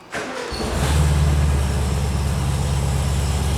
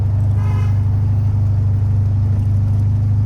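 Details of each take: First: 1976 VW Super Beetle, formerly fuel injected, after filter reinstalled correctly, high choke on: brief crank then clean catch and steady even idle; still not pulling fuel on its own. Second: 1976 VW Super Beetle on test drive: fast, even idle staying way high with no throttle; throttle cable recently adjusted after sticking, cable length suspected of holding throttle partly open.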